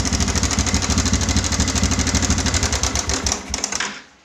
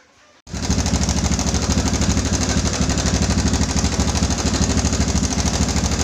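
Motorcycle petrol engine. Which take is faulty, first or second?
first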